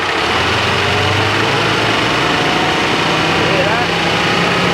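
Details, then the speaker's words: Nissan GQ Patrol AC compressor, metallic paste found in degassed system: metallic chattering over idle, harsher when revved; compressor sounds upset; AC compressor failing. "And the reason why I'm playing around with this compressor is because we had like a real metally paste throughout the gas and it was making a gangster chattering noise."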